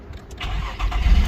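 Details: 2004 Nissan Maxima crank-no-start with security light on, fixed by replacing broken relay: engine catches at once and settles into steady even low rumble, no misses or knocks; starts and runs healthy.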